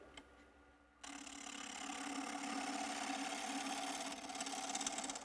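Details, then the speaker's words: Wood lathe tapering a thin arrow-back spindle to a 3/8 inch tenon: steady buzzing hum over cutting hiss as the thin workpiece vibrates against the tool; chatter, take a lighter cut. "Okay, remember what I said about chatter? When you hear that vibration, take a lighter cut."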